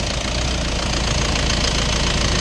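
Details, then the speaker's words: Toyota Land Cruiser Prado at idle after replacing the alternator assembly, which had been noisy and would not charge: even, steady low rumble with no whine or squeal; charging normal at 14 volts, battery warning light now off. Normal idle. "Wala nang ingay. Wala nang ilaw dyan. Nakailaw kasi yung battery niyan eh."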